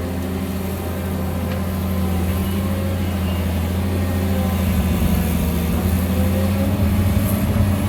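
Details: Kobelco SK200-1 excavator, about 19 tons, turbocharged 6-cylinder diesel with Kawasaki K3V hydraulic pump, digging very sticky clay under heavy load in hot weather: steady low hum with a constant tone above the diesel; loud hydraulic pump whine.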